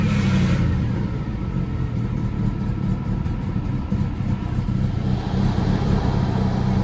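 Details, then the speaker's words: Mercedes CLK200 C209 at idle: petrol engine idles roughly, its low rumble pulsing unevenly about four times a second like a misfire, a lumpy idle. "And then this lumpy idle."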